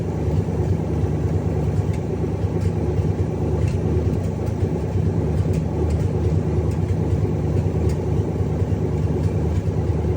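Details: Cadillac 500 V8 started after rebuild idles deep and steady with an even, slightly loping beat and no knocks or rattles; healthy-sounding engine.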